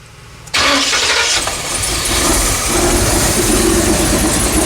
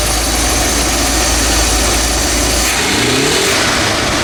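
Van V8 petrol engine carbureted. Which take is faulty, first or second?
second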